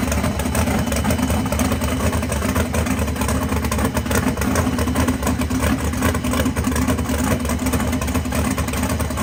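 Loud, lumpy race-cam V8 idle holds a steady, even rhythm with no knocks or misses; engine is running healthy.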